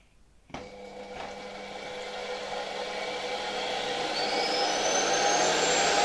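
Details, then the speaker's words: Electrolux model XII vacuum cleaner (1930–1936) powered through a voltage regulator. Its motor spins up from a click to a smooth, rising whine with an airy hiss of intake air as it sucks onto the board it stands on. The motor runs healthy. "Silnik bardzo fajnie przysysa się do tej deseczki, na której stoi. Słychać nawet gwizd zasysanego powietrza."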